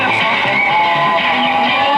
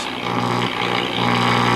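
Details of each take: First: 1940 Emerson DB 301 five-tube AA5 radio under repair, playing: clear, steady music with no crackle, fading or hum; the earlier problem was traced to the set being very picky about its antenna hookup. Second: 1940 Emerson DB 301 All American Five tube radio, filter capacitors checked and correct: loud, steady low hum with a buzzy edge throughout the set, music barely audible on a station; hum and buzz from external antenna connection.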